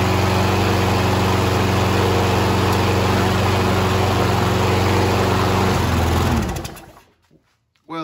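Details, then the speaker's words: Troy-Bilt mower, Briggs & Stratton 7.25EX 190cc, fired on starting fluid with poor air filter: steady even single-cylinder beat then shutdown; engine healthy, self-propel not working, maybe cable off. "engine runs the self-propel doesn't work um maybe the cable came off"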